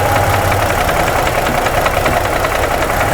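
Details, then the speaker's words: 2017 Ford F-150 3.5 V6, new phasers and chain already fitted, at idle: sharp regular knock about two to three per second that doubles when coil 2 is unplugged; cylinder two piston knock. "It doubled. I got a double knocking sound when I unplugged 2."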